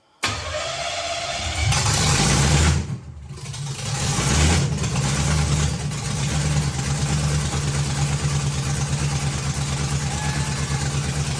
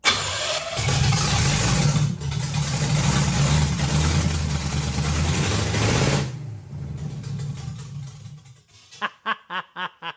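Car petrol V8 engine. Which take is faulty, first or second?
second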